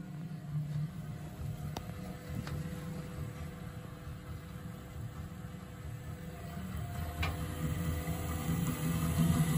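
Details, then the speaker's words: Miele Professional WS5073 washing machine after replacing its motor's (Typ MXT 10-66/2) 6202ZZ bearings, with a 6PJ1600 belt: low, even motor hum with a few light clicks and no rumble or grinding. It sounds much better; normal motor spin. "foreign [Music] sounds great much better five pound job foreign it's definitely working and I'm definitely really pleased with that"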